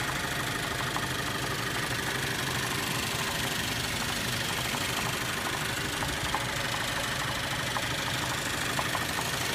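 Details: 2013 Cadillac ATS 2.0L, 6-speed manual: petrol engine shakes at idle with uneven run and loose knock about three a second, audible with hood popped; has stalled several times, no codes.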